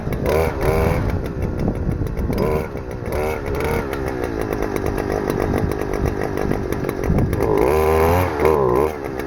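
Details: Stihl FS-250R two-stroke trimmer after carburetor rebuild kit (hardened diaphragm from long storage with old fuel), cutting wet grass: high-revving snarl holds steady, brief dips as it bites, picks cleanly back up; normal running under load.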